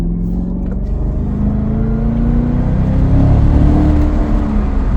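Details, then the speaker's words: 2017 Cadillac CTS-V, LT4 supercharged V8 with dual-clutch transmission, hard acceleration: steady Roots blower whine climbs with revs and carries through quick gear changes over deep rumble; normal supercharger whine. "The whine, like, you know, the 03, 04 Cobras and all the manual transmission Roots blower cars are fun, where you get the pause between shifts. But just the whine pulls all the way through, and you just kind of hear the gear change in between."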